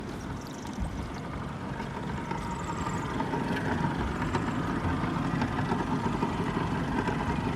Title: Yamaha F150 2004 knocking sound 1